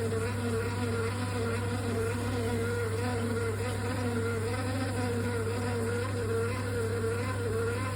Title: Triton shower | Envi | Loud noise | replacement Tri-hub | service engineer | component defect?